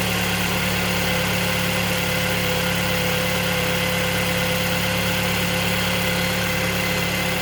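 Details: 2023 Mercedes-Benz E250 at 6000 km from new: a steady idle with a constant faint whine over the engine hum and no clear knock; the service center found nothing wrong. Engine noise at idle, source undetermined.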